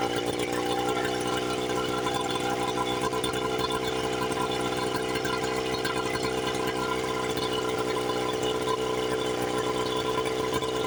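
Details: 1976 Johnson Seahorse 9.9 two-stroke outboard, first run after 30+ years in a garage, after repairs, on a flush attachment. Steady, even buzz at constant speed with no misses or surging, carburetor not yet adjusted; running cleanly, though no water yet comes from the exhaust.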